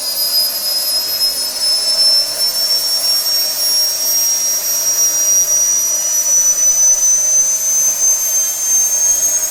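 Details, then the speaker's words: SWIWIN SW220B micro turbine on a test stand, test run three at full speed: steady piercing high whine over a smooth rushing roar, max set to 110,000 rpm, about 45.5 lb thrust, pump auto-calibrating; normal running at maximum speed. "so you'll notice here as i throttle up the acceleration is 3.5 seconds and our max rpm is set to 110 000"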